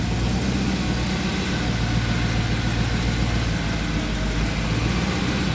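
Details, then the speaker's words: VW Transporter with RS4 V8 and twin turbos, after manifold work: steady, even idle, no ticking or puffing, downpipe not blowing and quiet, only old residue burning off the manifold; healthy. "That just crap burning off a manifold. Got big tire after it's holding down pipe on here. Yeah, that's not blowing. That's quiet."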